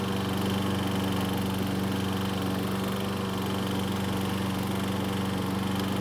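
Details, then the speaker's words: Troy-Bilt self-propelled mower running in gear. A fast buzzing rattle rides on the steady engine: starter pawls chatter, apparently because the recoil rope in the handlebar guide gets tugged as the lower handle flexes. It stops when the rope is released from the guide. "so as you can see and here there's a very annoying sound coming from The Recoil that seemed to go away after releasing the rope from the guide on The Handlebar"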